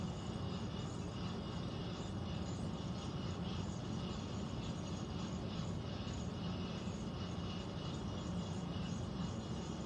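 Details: Central air unit heard in the bedroom, seemingly above the closet, owner also wondering about a leak: constant low rushing rumble with a faint high hiss and no rhythm. Abnormal air handler noise, cause unclear.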